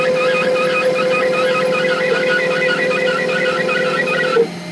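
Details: Cheap Chinese 500 W spindle cutting MDF with a dull bit: a steady mid-pitched whine with light cutting rasp, then it spins down. Quieter than a 600 W router; the owner notes slight vibration, blaming the dirty, caked Delrin nut. Healthy spindle.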